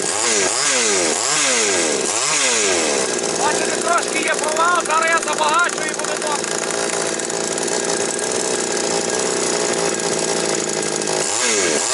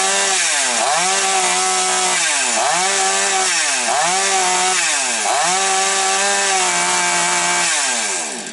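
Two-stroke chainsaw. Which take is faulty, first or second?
second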